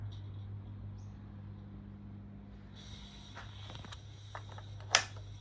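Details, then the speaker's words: 1994 GEC 120cm ceiling fan on low speed: low steady motor hum with scratchy squeaks and chirps, quite noisy, from very bad worn bearings. "all right you can hear the bearing noise now if you can hear it's quite noisy isn't it"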